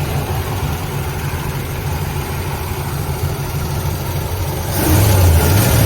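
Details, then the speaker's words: Ford Galaxie running on its own fuel: steady even low idle with a regular pulse around 200 beats a minute, picking up slightly at the end; cuts a few times but runs fine. "and it really doesn't sound too bad now we cut a few times here and there"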